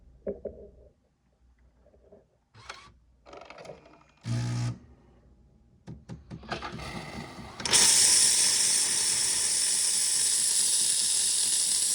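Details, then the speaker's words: Jura Z6 making milk foam with hose in milk container: clicks and brief pump buzz, then harsh steady steam hiss with no milk drawn; sputtering, possibly from milk foam nozzle behind the spout worn with age. "It just wears out with age and it stops foaming milk."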